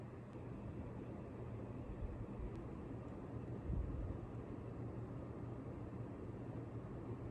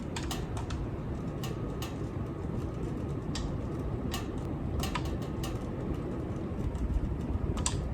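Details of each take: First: Ceiling fan on high speed after tightening its screws to fix clicking: steady low smooth whoosh, no clicking or noise. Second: Ceiling fan running: sharp, uneven clicks over a steady low whoosh, caused by blade screws that have come a little loose; fixed by tightening them with a stubby screwdriver.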